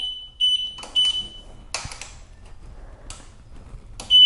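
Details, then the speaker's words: Pride Zero Turn 10 mobility scooter: the tiller keeps sounding the eight-beep motor fault code after an unplugged motor cable under the batteries is plugged back in. Power cycling the scooter clears it. "and it's going to keep beeping at you like that if I have it plugged back in but the beeping is still going what you want to do is turn the power off and then back onto the scooter and now I can drive again without any issues"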